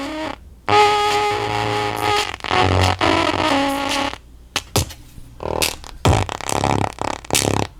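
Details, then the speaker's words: Pioneer SX-9000 receiver, volume halfway, mic right at the speaker: music harsh, fuzzy and breaking up on every note, only left channel working, right channel silent; massive output distortion. "As you can hear, we have massive distortion and only the left channel is working."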